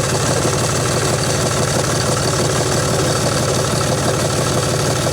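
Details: John Deere 5300 tractor idling after new alternator fitted, battery up from 11.8 V to 13.17 V: even diesel clatter at steady idle, no misses, knocks or charging whine; normal idle, alternator confirmed working.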